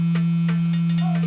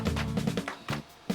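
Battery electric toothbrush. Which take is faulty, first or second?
second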